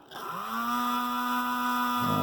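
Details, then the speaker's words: Rivarossi Big Boy 4-8-8-4 HO steam locomotive, circa 1975, broken down on test run: small motor spins up fast to a steady thin whine with no load; likely the drive rod has come off the motor. "fix motor sounds like it's not even resisting anything well looks like it's gonna be some work"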